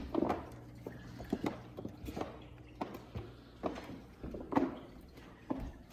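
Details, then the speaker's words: A tongue-and-groove floor gives a dry crunch and crackle with each footstep; the floor is suspected, not confirmed, to be laid unlevel, leaving voids underneath so the boards move; floor crackling underfoot. "now that's what i call crunchy to keep you up at night if you're walking around"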